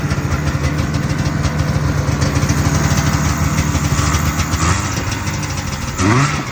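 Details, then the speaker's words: 1978 Arctic Cat El Tigre two-stroke snowmobile after carb leaned out (20 pilot, 280 main, clip one down from top; was smoky with wet plugs): steady crisp even burble with a quick blip; running well. "um it's running good I mean it needs I put a 20 pilot in"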